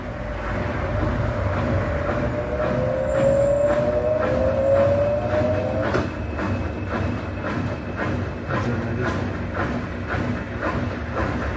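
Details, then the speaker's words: Brastemp BWH15 15 kg washing machine after foam was placed between the tub and the cabinet to stop contact: steady spinning whir with a mild, even vibration rumble and no loud banging; normal spin, noise much reduced. "a gente já percebe que já barulho diminuiu muito, né? Ela tem, claro que ela tem um barulho, né, pela própria vibração da máquina, mas aquele barulho alto onde incomodava até já diminuiu muito."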